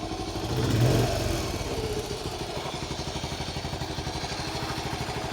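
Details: 1974 Honda C50 started after about five months sitting, very cold: small single putters with steady, even low-speed pulses after the cold start; runs cleanly, normal cold idle.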